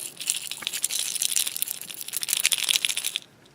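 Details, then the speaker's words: Refrigerator that is warm, not cooling and ticking: loose bits rattle inside its compressor start relay shaken by hand, the insides broken; the owner plans to replace it along with the overload, hoping the compressor then starts. "insides of it are shot my hope is by getting a new part I'll probably replace this part too because they seem to kind of work together"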